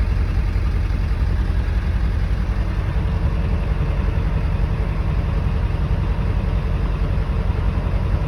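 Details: Ford 7.3 Power Stroke diesel cold start after sitting about two weeks in cold weather, glow plugs heated by cycling the key about three times: steady, even deep idle with light clatter; normal cold idle.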